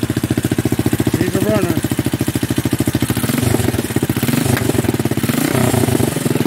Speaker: so I just turned it off so we now know we have a runner